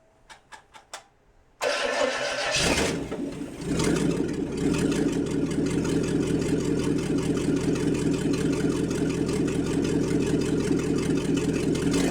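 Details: International 345 V8 at first start-up after reassembly, timing set by ear: catches after a few cranks into a steady but slightly uneven idle; rough idle, carburetor needs tuning.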